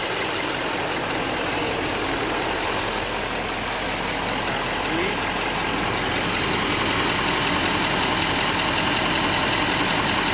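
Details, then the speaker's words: Diesel truck after gas was drained from diesel tank: cranks a while then fires with pedal floored, steady even diesel clatter at idle with no misses, knocks or hunting; running smoothly. "stepped the gas pedal to the floor and right when I did thing fired like a champ but it did crank for a bit as you can see sounds like it's running"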